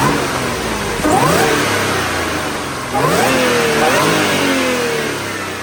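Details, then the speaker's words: Audi B8.5 S4 3.0T supercharged V6, stock exhaust, before intake install, traction control off: steady idle then two quick revs toward redline, clean rising pitch, no knocks; healthy engine. "After I do the exhaust, it's going to be a lot harder to hear the supercharger whine, but with the stock exhaust, it's awesome."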